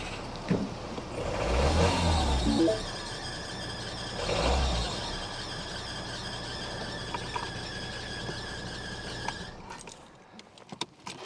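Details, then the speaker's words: Modern Mini Cooper at idle: uneven rough note with rhythmic flapping thump and chirp, sounding worse on arrival; crank pulley damper has failed and the drive belt is flopping about. "so as you heard there it's um doesn't sound too clever does it it actually sounded much worse than that when you pulled up it sounded like a a brick and a washing machine as I normally say"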